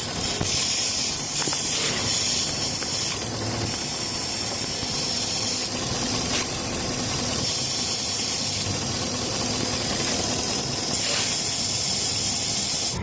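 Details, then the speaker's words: 2014 Ford F-350 that misfires or won't start after refueling, engine running: steady high hiss of suction at the EVAP purge valve port; purge valve stuck open and leaking vacuum. "si sientes cuando le pones aquí lewis sientes la succión que lo está jalando esta válvula ya no sirve se queda abierta"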